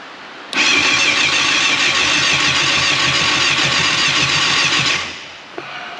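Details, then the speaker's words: 1989 Yamaha FZR600 Genesis, not started in over 4 years, on about four-year-old fuel with a new battery: starter whirs about four seconds, engine tries to fire a few times but never catches; owners suspect old fuel gumming the carbs. "oh so close all right well i think at this point we're just gonna stop trying and probably drain the fuel put some new fuel in it"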